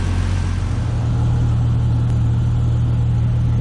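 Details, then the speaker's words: 1998 Jeep Cherokee XJ after a repeat exhaust leak repair with a new header and Felpro gasket. Deep, steady idle with an even low hum and no ticking or puffing from the manifold. The exhaust leak is gone and exhaust exits at the tailpipe; smoke is preservative burning off the header. "But all the exhaust noise is gone under the hood. Don't hear an exhaust leak anymore, and all of our exhaust seems to be coming out back here where it should be."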